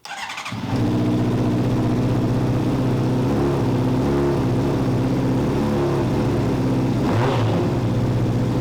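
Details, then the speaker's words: Honda CBR600RR running with the airbox out: fires and settles into a lumpy, uneven idle with a stumbling beat and brief blip, no power at low rpm; owner suspects a bad misfire, possibly damaged wiring harness. "it has a very rough idle feels like no power in between like 1 2 500 rpms idle is all over the place jumps around"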